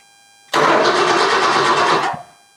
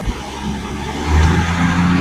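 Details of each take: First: A 1965 Ford Mustang, mostly original, that has not run in over two years and had a fuel issue, is cranked after a fuel line is reworked and fuel flow to the carburetor checked. The starter churns about 1.5 seconds and quits: cranks but will not start. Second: 1965 Ford Mustang V8 (mostly original), not run in over two years, after fuel pump replacement, Seafoam, fixing leaks and adjusting air-fuel mixture: deep burble revs smoothly and holds steady without stumbling or popping; normal revving.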